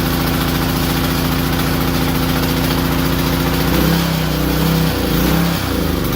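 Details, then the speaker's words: Power Stroke 2200 PSI pressure washer, small single-cylinder engine, not connected to water: runs evenly on choke, then speed hunts up and down; won't restart off choke, surges possibly until dying; suspected carburetor fuel starvation. "okay so we still definitely have a surging idle issue once it's uh warmed up I turn it off and try restart it it doesn't want to start off choke which it should if if it warms up correctly shouldn't have a problem starting off choke"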